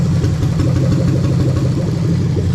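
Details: Toyota Sequoia 2UZ-FE non-VVT-i V8 (2002–2004), manual-gearbox harness with remapped ECU, warm at about 81 degrees, cylinders disabled one by one. A steady idle carries a faint recurring stumble in the low thump: one cylinder is dead from an unplugged injector.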